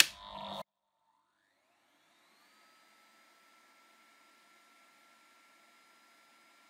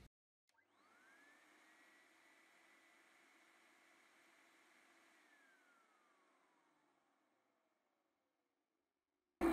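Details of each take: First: Numatic Henry vacuum cleaner on the low setting, where the PCB soft-starts it and runs it at reduced power (roughly 800–1000 of 1200 W): after a click, the tone climbs over two seconds into a steady quiet whine, running normally. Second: Numatic Henry vacuum cleaner with a Hi-Lo switch and soft-start PCB, which should come on in low: the motor whirs straight up to one steady high pitch with no low-speed stage, and the scope shows an unchopped sine wave; the PCB is presumed faulty.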